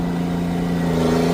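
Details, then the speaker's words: Old tractor on the headlands of a barley silage-baling field, shifted up one more gear to let it bark. A deep, steady, strong drone holding firm under hard pull with no knocks or misses; healthy under load. "There we go. We're ripping on her. We're ripping on her. Oh God, yeah."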